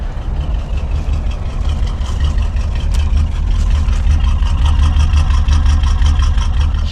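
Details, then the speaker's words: Abandoned 1988 Chevy C30 squarebody with utility bed and 350 V8, first run after years parked with fuel lines hooked up: low, steady, quiet V8 idle with even beat, purring like a kitten, no knocks. "freaking purs like a kitten like she was never put to sleep wow that's cool dude I'm so surprised"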